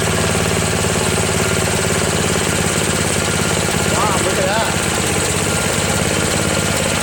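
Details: Craftsman snowblower, after a replacement gasket was fitted (not leaking) and the bottom carburetor screw was adjusted: a steady, even small-engine chatter holding constant speed with no misses or surging; it runs smooth and healthy.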